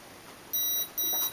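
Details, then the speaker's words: Turnigy Basic 18A ESC with EH200 brushless motor on an MJX F645 (3rd gen PCB) entering programming mode via full throttle at power-up: tune then short high-pitched single beeps marking the brake setting menu item. "now you'll hear the the tune to tell you you're going into programming mode there it is I'll walk you through it first one beep break"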